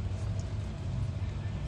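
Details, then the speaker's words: Toyota Starlet GT Turbo EP82 (4E-FTE) idling with AC on after installing a Ross Performance harmonic damper torqued to 155 Nm, before final belt adjustment: steady even idle, no knock, wobble or squeal from the front pulley; normal idle. "all right so here we have it the Ross performance harmonic damper is finally on car is running I have the AC on so can just basically finish adjusting the belts after checking it out"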